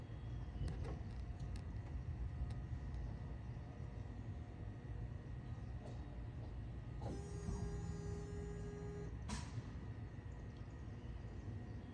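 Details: Bone-stock LS 6.0 V8 on a cold start, before a planned rebuild and power adder: steady, even low rumble with no knocks or ticks, just a brief clatter midway; normal cold idle.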